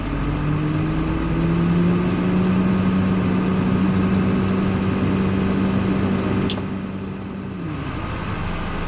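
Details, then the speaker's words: CDL Class A truck, automatic transmission, in-cab inspection, engine idling raised to build air pressure to 120–130 psi: light rhythmic compressor chatter, then sharp air burst and tone drops; governor cut-out, system fully charged, compressor working. "I hear the governor cut off, that means my system fully charged and the compressor is working."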